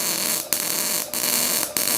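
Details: Ramco 120 A MIG welder with CO2 shielding, amperage around 80: loud, steady frying hiss of the arc with brief dropouts every half second or so; a normal weld.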